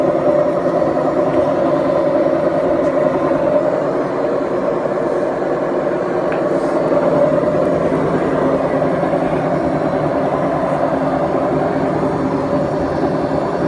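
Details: BEKO washing machine, 7 years 8 months old, drum bearings gone bad: constant midrange droning roar as the drum turns, rough and growling rather than smooth, typical of a worn drum bearing.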